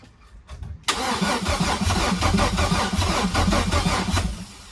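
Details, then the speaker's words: Chevy V6 swapped into a Subaru WRX, cranking with a truck hooked up to the battery: strong, even, brisk cranking at roughly two to three beats a second, never firing; improved over the weak car battery; normal cranking. "Just got the truck hooked up to the battery. There you can kind of see the flake in the paint. But yeah, now you can actually see or hear it crank better."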